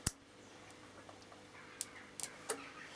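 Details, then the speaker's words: Solar array charging system with no output, panels temporarily wired direct to charge controllers: a few sharp, irregular clicks from a switching contact, possibly sticking, suspected to be a problem. "you hear that clicking right so that's sticker may be a problem anyway"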